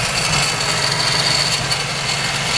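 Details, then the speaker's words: Mazda RX-7 FD Type RS rotary idling after broken 15 A fuse replaced and air pump restored: uneven lumpy hum with fluttering exhaust; rough idle and backfiring persist, metallic noise noted. "the motor is still doing it all rough idle thing and backfiring but at least we somewhere now"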